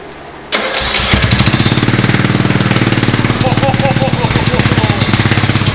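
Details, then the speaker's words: Riding lawn mower modified with a 450 dirt bike carburetor and a high-flow header exhaust, first start: it catches at once and settles into a loud, fast, choppy single-cylinder idle with sharp exhaust pops; runs fine, just loud. "oh my gosh that's loud going idle I it's going even idle give her ack"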